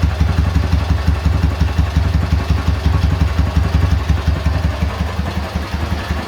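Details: K-750 motorcycle boxer twin after replacing the timing gears (four crankshaft gears), ignition fed direct to the coil: steady, even idle pulsing near three beats a second with no knock. The previous idle knock is gone.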